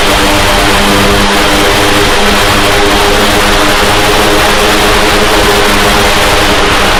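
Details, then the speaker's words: Heavy-lift drone, first flight test, batteries not fully charged: loud droning buzz with beating, wavering tones as the rotors fail to hold matched speeds. The oscillating prop speeds are suspected to come from PID tuning, unconfirmed. "on top of the fact that the propellers aren't seeming to move in conjunction and that could be again the PID maybe"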